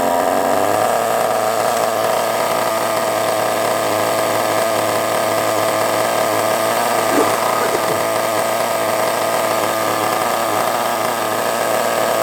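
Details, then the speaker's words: Kyosho MP9 nitro RC buggy engine, first start after sitting 2 years: a high buzzing two-stroke scream holds a steady pitch with slight strain, sounding lean. Owner suspects a fuel blockage or a poor fuel tank seal. "A little bit lean there, didn't like that very much, did it? I don't know why it went lean. Perhaps there's a little bit of a blockage in the fuel or something."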